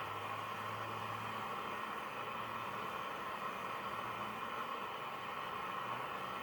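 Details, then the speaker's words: National Panasonic RQ-434DS boombox radio after changing some components and with loose aerial wires: steady hiss with only a faint station tone barely coming through; very weak reception, mixer transistor suspected, not confirmed. "so we'll see what happens i can vaguely hear the station"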